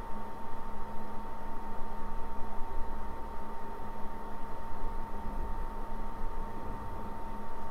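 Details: PS4 Pro after repair (clogged heatsink cleaned, fan replaced, new thermal paste and pads), running only a soft, even fan hum. It is now silent even during gaming, versus 74–76 dB before.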